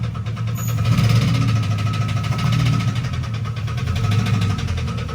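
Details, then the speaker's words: GMC Yukon whose engine knocked a rod after being driven: low heavy idle with a steady hard metallic knock every few beats. Rod knock, knocking pretty good; the motor is coming out. "and then now Athan drove his Yukon around and knocked a rod, so it's knocking pretty good."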